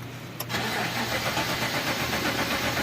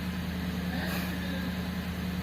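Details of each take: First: Engine cranks steadily about three seconds but never catches; crank-no-start because the fuel pump motor is stuck. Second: Engine that had a crank-no-start from a stuck fuel pump motor, now running; even low hum at one steady speed, no stumbles, knocks or surging: normal idle.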